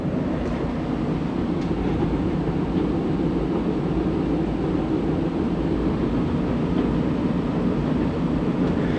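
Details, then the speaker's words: Old furnace blower running after the heat is cut so the blower can cool, smoke test clear: steady, smooth low rumble of air with no knocking, squeal or scraping; blower running quiet and healthy. "as you can hear I got got it pretty quiet yep just in that short amount of time"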